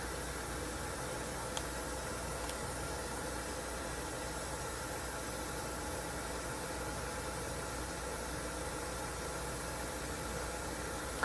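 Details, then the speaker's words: Sony TC-WR661 dual cassette deck playing tape with no noise reduction: steady, even hiss with no rhythm, noise level roughly 50 dB. "let's go ahead and start the tape and that's fairly loud and staticky pretty obvious"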